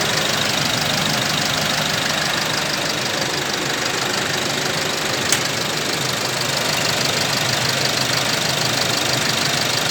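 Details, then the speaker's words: Isuzu 1.9 diesel pickup, 100,000+ km, oil breather vented to ground since new, catalytic converter replaced with pipe, 3.3 final drive, heard outside at idle: steady even ticking about three per second, no misses or knocks; very smooth. Normal idle. "แต่ก็อยากจะฟังเสียงเครื่องข้างนอกกันนะครับเสียงก็ปกตินะเสียงนิ่งมาก"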